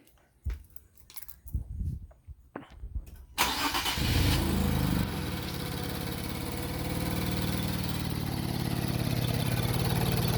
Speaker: All right, so this is our 2019 Infiniti Q50 has 27,000 miles and making this clicking sound.